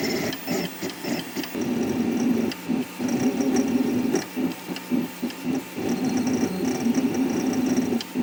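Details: 3D printer after installing rubber dampers between the NEMA 17 stepper motors and mounts, same print at the same speed: soft, dull whirring pulses instead of the earlier shrill whine; decibels unchanged, extruder motion mostly heard.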